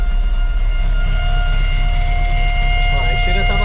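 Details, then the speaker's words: 1994 Chevrolet Monza GLS first start after 19 years stored: steady high whine at one pitch over a rough rumbling idle; fuel pump noise, owner suspects low pump pressure and a possible new pump, exhaust expelling dirt. "tá fazendo uns barulhos ó o barulho estranho na bom aí tá"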